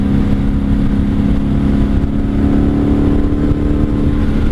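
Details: 1997 Honda Magna VF750C V4, previously wrecked, chain just adjusted, cruising on the road. A smooth, steady drone at constant pitch with no ticks, knocks or stumbles. Runs well.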